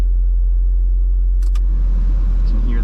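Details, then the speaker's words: 1993 Toyota MR2 with AC reported not working, blower motor tested with the engine idling: a soft rushing whoosh builds after about two seconds as the fan spins up. Blower motor works normally. "So, I was told the AC doesn't work on this car, but we'll go ahead and test the blower motor."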